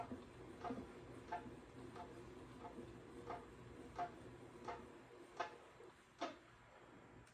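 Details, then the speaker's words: Pooboo stationary exercise bike after putting the cover screws back in: chirping squeaks about 85 a minute, once per pedal turn; still squeaking, not the belt, source inside unclear before greasing the pedal groove. "So it must not be the belt. It's got to be something else squeaking inside here besides that belt."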